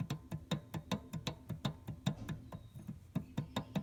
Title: Tensioner Pulley Making Noise